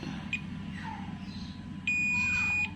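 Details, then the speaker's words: Multimeter continuity test on a capacitor on the combined power/main board of a Polytron PLD32T1500/s TV (blank picture, backlight on): beep on one side only, not both, so the capacitor is good, not shorted. "Ini bunyi, sebelahnya tidak, artinya kapasitor itu bagus."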